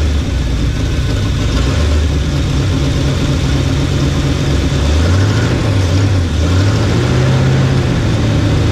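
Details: 1975 Chevy 4x4 plow truck, hot-wired, running on its own fuel pump after new spark plugs: loud, raw, uneven low rumble with wandering speed and no muffling; bad exhaust leak, essentially no exhaust, smoking; owner suspects worn rings (turns over easily).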